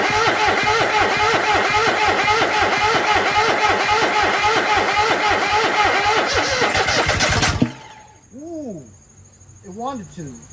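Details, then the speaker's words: Kohler 26.5 EFI ECV749 V-twin in a Toro Z-Master 5000, first start after a rebuild, at mid throttle with no choke. It runs lumpy for several seconds, then one sharp bang and it quits; smoke comes out of the air cleaner. Backfire on start-up. "So, it was promising for a second until it went bang. And then things didn't sound good coming out of the muffler. Wouldn't you agree?"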